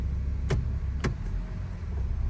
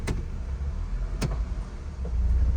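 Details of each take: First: 2004 Honda CR-V after replacing worn engine and transmission mounts (broken bushing), shifting into gear: low steady engine hum with only light clicks as gears engage, no clunk, jerk or vibration; normal engagement. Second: 2004 Honda CR-V in drive with gas pressed, and in reverse: two heavy clunks about a second apart over idle as the engine rocks and jerks, steering wheel vibrating; broken transmission/engine mount.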